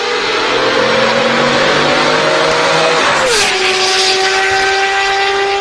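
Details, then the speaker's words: Mercedes S600 V12, salvage rebuild, first real test drive after the misfire was fixed with a new coil pack and the ABC suspension repaired, stock exhaust. Full throttle: the note climbs smoothly, drops at the upshift, then pulls cleanly with no misfire. "And we can finally give it a little full send. Still waiting for straight pipes though."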